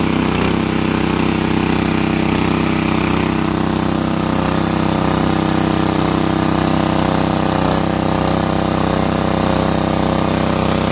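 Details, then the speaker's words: Portable petrol water pump with a small single-cylinder four-stroke engine, drawing from a well: steady, even beat at constant speed with no misses or knocks, giving strong water output; running properly. "kita lihat di sini cukup kencang airnya yang keluar"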